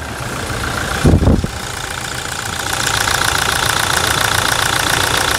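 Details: 2017 Toyota Hilux 2.8 1GD diesel with a new zero-km replacement engine, installed after the old one failed with near-zero oil pressure and crankshaft play: after a brief bump it settles into a steady, even idle with no knocking.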